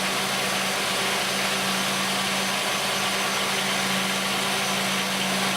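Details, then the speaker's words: 1989 Oldsmobile 3.8L 3800 V6 idling after an intermittent stalling repair, with wiring wiggled to test: steady, even idle hum with a constant tone and no stumble or dropout. No stall, a good repair. "No die, no stall. Well, folks, I call that a good repair."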